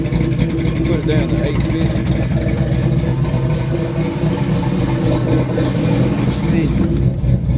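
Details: Newly LS-swapped Regal on cold start, tune set to closed loop (self-learn); steady, fast V8 idle with an even low rumble that holds high and doesn't settle, a high start-up idle whose cause isn't pinned down yet.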